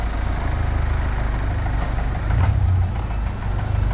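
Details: Kia Sportage engine awaiting repair: low heavy idle with a dull repeating knock under the rumble, steady at constant revs; mechanician says it is not fuel knocking, origin not stated.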